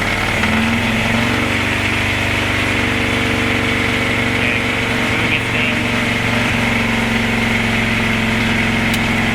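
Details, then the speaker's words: 1976 C30 dually with 454 after Holley Sniper EFI and Hyperspark install, not yet learning: loud, uneven roar with unsteady low pulses, running rough instead of idling; cause unconfirmed. "okay it didn't like that that was very loud too"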